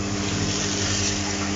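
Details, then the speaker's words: 16-inch electric fan that won't start on speed 1 and turns slowly on speed 3 unless spun by hand. Steady low electrical hum as the motor only creeps round, weak with no pickup in speed; 1.5 µF 400 V capacitor to be checked. "ถ้าเปิดสวิตช์นะครับเให้เครื่องทำงานไม่ยอมหมุนนะครับแต่จะใช้มือหมุนช่วยแล้วก็เครื่องก็จะทำงานได้"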